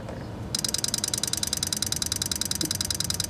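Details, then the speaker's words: 2003 Toyota Highlander with EVAP codes P0441, P0442, P0446 from a wide-open leak, purge VSV activated via Innova 5610 scan tool: rapid even train of crisp ticks about ten a second; normal purge valve clicking. "We of course heard that series of clicks over here, and this is working properly, or working exactly like it should."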